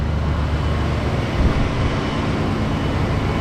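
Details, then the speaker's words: 1966 Ford Thunderbird 390 big-block V8, revived after sitting a year dead: low, even idle rumble in the shop with no knocks or ticks; runs like a champ. "first drive runs like a champ man"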